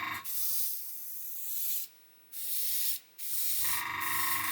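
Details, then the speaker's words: Brand-new Gaahleri Mobius TG 0.5 trigger-grip airbrush spraying paint with the air control wound in: strong airy hiss in bursts with brief silent gaps as the trigger is released, heavy paint flow, spraying normally. "I'm going to wind the air down I'm going to wind this in okay you can see straight away we've got lots and lots of paint coming out"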